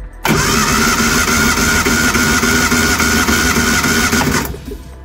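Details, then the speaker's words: Reliant Supervan compression test on cylinder 3, cranking without plugs or HT leads. Even cranking at about 3.5 beats per second with no uneven strokes. Compression is healthy at about 120–125 psi. "Again, good healthy reading, about 125, 120, that's fine."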